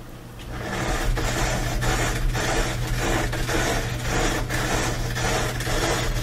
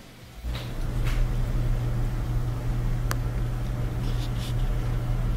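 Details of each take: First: Noisy Bosch dryer, drum turning: rough metallic scrape pulsing about twice a second, once per revolution; something found caught between the tumbler and the front bearing. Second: Bosch dryer after the fix: a small Phillips screw caught between the tumbler and front bearing, which caused a metallic noise, was removed. Now an even low drum rumble and steady hum with no scraping or ticking; normal running.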